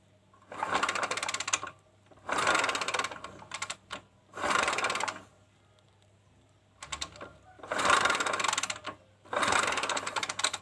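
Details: Kawasaki Kaze motorcycle that has lost ignition: five separate kick-start bursts, each a second of quick rattling turnover, never fire. The stator coil was tested and still makes spark, so the CDI is suspected dead; no spark.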